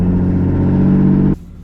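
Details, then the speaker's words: Suzuki XL-7 driven with its muffler missing: a loud, deep, raw drone that cuts off abruptly with no muffling at all; loud exhaust from the missing muffler. "we are back in the xl7 with the super duper loud missing exhaust this is that oh it's so loud so loud"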